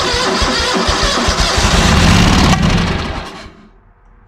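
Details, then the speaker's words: ZT200 mower at half choke: fast rhythmic cranking chuffs then one sharp bang as it kicks back and stops; backfire while cranking, owner suspects carb issues or failed fuel solenoid. "a backfire let's yeah i might just have carb issues"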